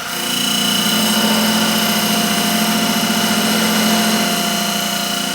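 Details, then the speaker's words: Wood lathe turning an ash/maple segmented bowl with epoxy resin, slowed to about 1750 rpm after chipping out at higher speed: constant motor hum under an even cutting hiss, no chatter; clean cut at correct speed. "And the sound is better. What am I at? 1750 about? It's cutting just beautifully now."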